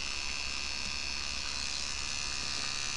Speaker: hear the thing buzzing.